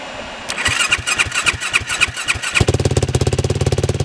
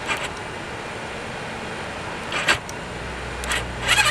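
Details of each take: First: 2007 Yamaha YFZ 450 single-cylinder quad, after repair with sheet metal clamped fix and fan bypassed to a switch: starter cranks about a dozen strokes, then catches and settles into steady, even idle; healthy start, feels like lots of compression. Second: 2007 Yamaha YFZ 450 single-cylinder quad as bought, air filter torn and disconnected, battery on charger: starter cranks in repeated even bursts but never fires; crank no start, cause not confirmed, solenoid to be diagnosed next.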